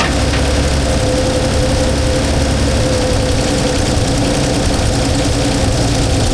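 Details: 1977 Holden HX, would only idle high on choke when bought, distributor loosened and turned while running without timing light: loud uneven lumpy low idle; rough idle, cause not confirmed.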